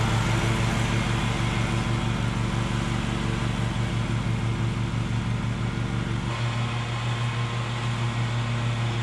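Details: Bad Boy zero-turn mower, fire-damaged engine repaired, drive pull fixed and new blades fitted, mowing: steady even pull with regular firing pulses about three per second, no misses or hunting; healthy.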